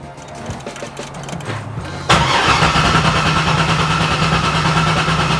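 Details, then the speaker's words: 2009 Corvette C6 convertible V8, one owner, low mileage, crash-damaged; after dropping in a shelf-spare fuel pump with half a tank of premium, starter cranks steadily without catching; owner figures the fuel line just needs priming. "okay that's not a problem I kind of figured this it just needs to Prime the fuel line"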